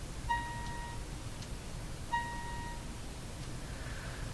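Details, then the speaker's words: General Electric KL60 tube radio with no output, full volume: two short test-tone bursts come through thin, buzzy and far too quiet over heavy hum, odd AVC-like behaviour; weak distorted output. "it's got that funny almost like ABC is operating on it but it shouldn't"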